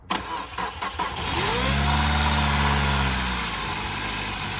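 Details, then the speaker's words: Peugeot RCZ, previously diagnosed by a garage as needing a new engine for a big-end rattle, started with the water pump not being driven: short cranking, catches cleanly, flares, settles to a smooth idle with no rattle at start-up. "It didn't rattle that time. Just let it warm up."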